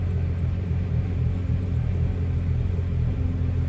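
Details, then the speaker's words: BMW 335i cold start after sitting about a week and a half: low idle rumble with a slightly uneven, wavering beat, rough at first; failing high pressure fuel pump suspected, code stored. "Getting there, you know, the idle is a little rough, man. Idle is a little rough in the beginning."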